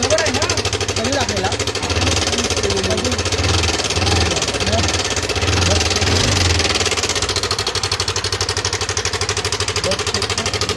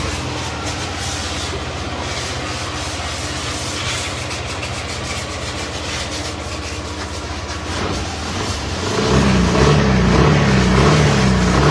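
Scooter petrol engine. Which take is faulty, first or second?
first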